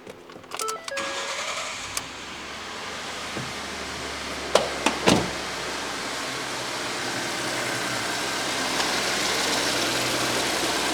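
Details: 2011 Ford F150 3.5 EcoBoost just after a valve cover replacement with new plugs, cover torqued to 60 in-lb: brief crank, then it fires right up and settles to a steady, smooth idle. No oil leak seen; a little ticking is mentioned afterward.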